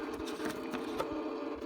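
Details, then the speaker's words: 2004 Ford Mustang Cobra, no start: key turned, scattered light clicks from under-dash fuse panel with no cranking; voltage drops to zero when cycling key, relays chattering on a dead battery. "I heard some of clicking from underneath here in the fuse panel and even out here here's some noise coming from come from down here somewhere"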